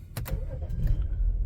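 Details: 2013 BMW X5 xDrive35i 3.0 after fixing a crank-no-start with no voltage at terminals 87 and 15: a brief crank, then it catches cleanly and settles into a deep, steady low rumble; normal start.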